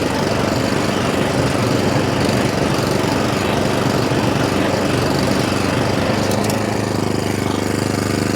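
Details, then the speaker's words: Atco Balmoral 20SK cylinder mower, cutting cylinder engaged and throwing grass into the box: loud, steady engine drone with the reel whirring, holding speed evenly under cutting load. Normal running. "So I'll cut the cylinder in. There goes the cylinder. Have a bit of a cut with it. Throw some grass in that box."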